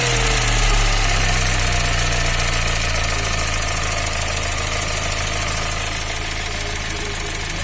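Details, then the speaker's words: Fiat Uno 1.4 Evo Fire warm idle, cooling fan on, oil pressure about 2 bar: faint but steady light knock about four per second from the cylinder head; fixed by replacing the cylinder head. "mas tem um barulhinho aí não é um barulho escandaloso mas é um barulho"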